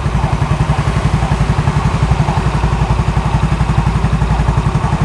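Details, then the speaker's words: Used scooter at idle, heard close to the exhaust: an even, steady low putter with regular pulses and no knocks or rattles, a normal healthy idle. "Dan kita deketin dulu ke knalpot. Kita dengerin dulu suara langsamnya kayak gimana."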